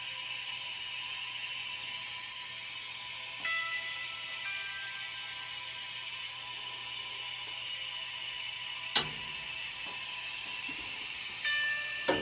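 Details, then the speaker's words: Centralized house humidifier, outside temperature -12: steady hum from the turning drum, then a sharp click and hiss as the fill solenoid valve opens at low water level to wet the dry drum; magnetic float switch regulates it; normal. "So you can hear the click when it's low water level. The solenoid valve open and fill up with water, and it regulates with the magnetic float switch."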